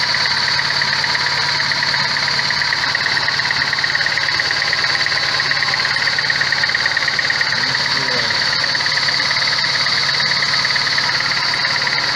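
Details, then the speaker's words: VAZ 21099 warmed-up idle: engine misfires, idle hunts and shakes, power lost, worse when hot; lumpy uneven beat with a steady high whine on top; sensors, injectors and air leaks checked, found no compression in cylinder 3. "Запускаем. Троит и плавают обороты. Когда нагревается, начинает плавать обороты."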